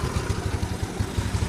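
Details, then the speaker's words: Carbureted Yamaha Mio Soul scooter after repair of lost-ignition fault (sent from another workshop, regulator already replaced): quick, even putter at idle with no stumbles or misfires; normal idle. "Alhamdulillah sudah beres ya dan motornya enak ya, langsam juga enak ini."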